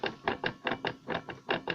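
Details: Chevrolet Blazer parked, transfer case leaking oil: about nine sharp metallic clunks in under two seconds as the driveshaft into the transfer case is rocked by hand; play there, owner unsure of the cause.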